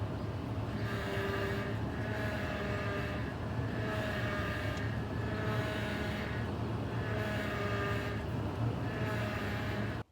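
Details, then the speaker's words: Idling vehicle: mid-pitched whine swelling and fading about every 1.5 seconds as the steering wheel turns; power steering pump whine from low power steering fluid. "One of the main indicators of that noise is a low power steering fluid."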